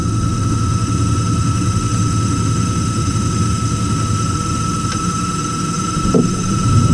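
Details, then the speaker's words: Heil gas furnace, no-heat call, house at 50 degrees; restarted after a suspected door safety switch issue. Steady high squeal over burner roar from start: exhaust inducer motor sounds tired, has no oil ports. "There it goes, it just fired up. I wonder if I can oil that motor."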